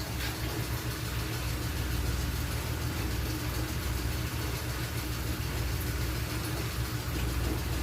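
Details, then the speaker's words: Engine just after replacing the timing belt, spark plugs, camshaft and crankshaft seals, fuel and oil filters and coolant, idling while the coolant bleeds and it warms toward operating temperature; a steady, even low rumble with no knocks, ticks or whine; normal idle. "Antayin lang po natin ma-reach niya yung normal operating temperature"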